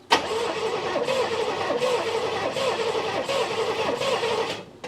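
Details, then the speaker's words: 1988 Chevrolet Monte Carlo SS V8, sitting since the 1990s, cranked with a thumb over the number one spark plug hole: slow, lopsided cranking pulses about every 0.8 seconds with no catch. No compression in cylinder one; the owner suspects an intake or exhaust valve stuck open. "No compression whatsoever. Like I feel nothing. So that's concerning."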